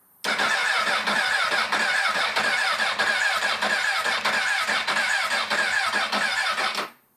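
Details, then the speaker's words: Crashed CBR1000RR sold with a blown head gasket and no oil, cranking steadily at about ninety-five beats a minute with the starter whirring but never catching; no fuel pump priming heard, suspected fuel pump or tilt sensor, no-start. "definitely don't hear the fuel pump priming hope I don't have to buy another fuel pump for this thing"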